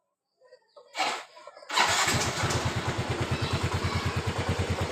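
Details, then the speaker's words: Yamaha Mio Z (Mio M3 125) scooter after throttle body cleaning with carb cleaner, which fixed stalling at low throttle: engine catches after a couple of cranks and settles into a steady, even idle about three firings a second, no stumbling or dying. "Motor setelah dibersihkan throttle bodinya langsam udah enak. Udah kembali nyaman dipakainya ya."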